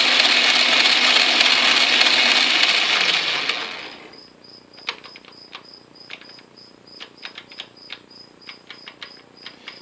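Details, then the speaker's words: Atlas/Craftsman QC42 lathe ("Old Gray Lady") gearbox, gears engaged on test run after partial repair: dry, crumbly chatter from change gears about four seconds then winding down; too much play at the shifter index plate, excess gear backlash needs adjusting. "is a little too much play up here which means I need to adjust the gear face the index face here"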